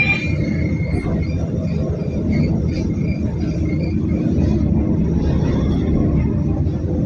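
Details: Mercedes OC500LE bus SMB107L on service 985, formerly at GBDEP on 190/190A, recorded while riding aboard: the engine was previously normal but now sounds like a big metal box, a deep, constant diesel drone with a hollow, boxy ring while driving; cause unknown.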